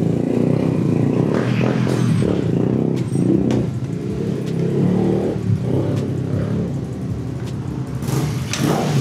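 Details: Yamaha 125ZR two-stroke, 125 carburetor, standard exhaust, mileage 29,000: crisp ring-ding note picking up cleanly on each blip and settling back smoothly; normal healthy running, sounds good.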